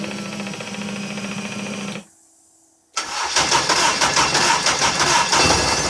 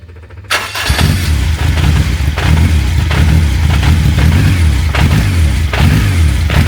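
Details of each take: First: Honda K24 engine, first start on custom exhaust project after adding 2–3 litres of fuel; fuel pump hums, then the engine catches at once and runs evenly: normal start. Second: Honda K24 engine in a car with custom exhaust and new flexi section, first start outdoors, no coolant in yet; catches after short crank then loping uneven firing with surging revs: rough running, not yet properly running.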